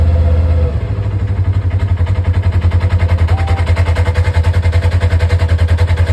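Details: Polaris RZR (296564) engine idling in park with CVT cover on: steady low rumble with rhythmic pulsing thump about three times a second; unexplained CVT noise at idle, cause unconfirmed.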